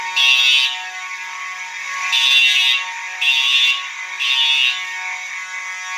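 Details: Fire alarm horn test: one horn sounding continuous (uncoded), another horn coded to code 3; harsh high buzzing continuous blare with the second horn pulsing in groups over it; both sounding correctly.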